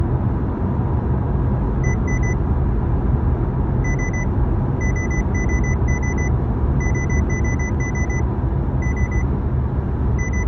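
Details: 2016 Honda Civic: short high double beeps at irregular intervals over steady road rumble; a warning beeping of unclear cause.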